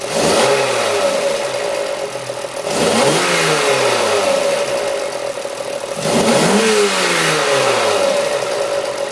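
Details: BMW S50B30 engine, cold: rough idle under a steady metallic tick, then revs sweep up and back several times; a cold-engine noise whose source stays unclear.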